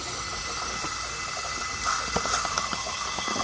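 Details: Mazda RX7 turbo intake pressure test: steady hiss of compressed air escaping, a boost leak, with gurgling as air blows through the turbo drain into the sump.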